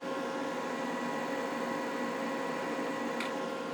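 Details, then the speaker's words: Jackery Explorer 1000 portable power station (1002Wh, 1000W) powering a demanding appliance on AC: even, steady cooling-fan whoosh with faint constant hum, no rattle or pulsing; fan noise when working hard is normal, about as loud as it gets. "I'll give you a sample of what the fan sounds like. This is one of the cons of such a power station, is they do make a bit of noise when they're working hard."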